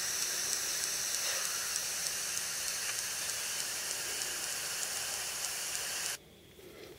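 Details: iPod Touch 4th gen video-mode recording played back: steady faint ticks, about three a second, over hiss, caused by the Wi-Fi radio; turning Wi-Fi off fixes it.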